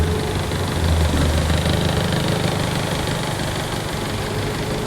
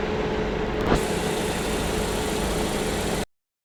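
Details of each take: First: Car misfiring at idle with a bank 1 cylinder 2 misfire code: lumpy, uneven stumbling rumble, one cylinder missing due to a shorted, wrong spark plug fitted. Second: Petrol car idling with a steady, even hum and no missed beats after repair; the earlier misfire was blamed on a loose, wrong spark plug and a dirty throttle body, which was cleaned.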